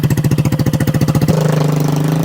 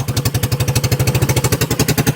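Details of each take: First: 2021 Kandi Batman go-kart on its stock carburetor with fuel and throttle unadjusted: rough loping single-cylinder idle with pops through the open pipe, backfiring because there's no muffler, and the idle is set too low. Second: 2021 Kandi Batman go-kart with the stock carburetor and a newly fitted fuel filter, fuel and throttle cable not yet adjusted, no muffler: small single cylinder chugging in steady, even pulses, idling cleanly. Normal idle.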